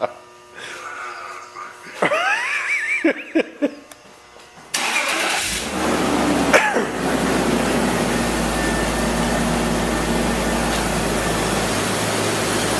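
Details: 2002 BMW 330Ci after fuel pump replacement: starter cranks briefly, engine fires and settles into a steady, even idle with no misses or knocks; normal idle, a burning-plastic smell noted turning to plain fuel smell.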